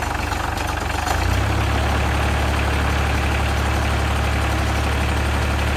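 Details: 2001 Caterpillar 302.5 mini excavator, Perkins 3013 diesel, started after replacing the leaking oil pressure sending switch: a brief start-up surge, then a steady, even low idle with a regular beat and no knocks or misses. Normal idle.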